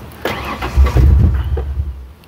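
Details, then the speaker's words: 1997 Ford Explorer 4.0L with MAF sensor fault and rich codes P0172/P0175: engine catches, stumbles and bogs, hardly revs and won't stay running, black smoke; running rich from faulty MAF. "I know it's running rich it hardly revs at all here I'll let you listen to it now listen to this"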